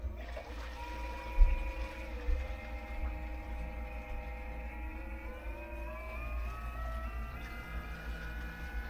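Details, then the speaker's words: Sailboat's new Hooker pump fed from a new sea chest, supplying the air-conditioning manifold, just switched on at its breaker: strong low water rush under a steady motor whir rising slightly in pitch; moving far more water than before, not yet bucket-tested. "goes that sounds like that's moving way more water than it was before"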